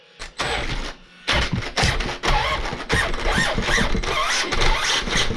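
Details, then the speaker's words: HPI Savage Flux 2350 with a new slipper clutch spring, truck held firm with a little throttle: short bursts of motor whine with a thin squeal as the slipper starts to slip. It was later judged slightly too loose. "here that's slipping this a little bit but want to take off"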